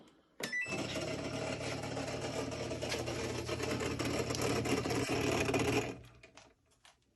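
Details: Samsung WF45K6200AZ/A2 front-load washer starting a quick wash: loud harsh grinding rattle near bottom left over low motor hum, then stops; filter clean, earlier 5C code, owner suspects water fill stage; cause unconfirmed.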